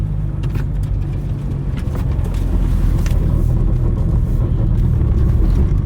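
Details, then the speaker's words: Mitsubishi Evo 4 while driving: a loud, deep droning rumble with no clear knock or whine; annoying abnormal drivetrain noise. "i want to make this thing more legit to drive so it's really annoying right now you can hear that"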